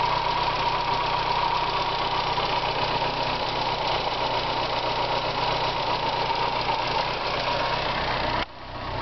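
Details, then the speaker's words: Car started for the first time in four years after pressure regulator, spark plugs and oil replaced, smoked a little earlier: steady even idle hum with no knocks or misses; sounds healthy, filler neck leaking fuel. "first time in four years this thing's running like a champ now get up and listen to it it was smoking a little bit earlier so that's why i changed the oil out it doesn't sound off"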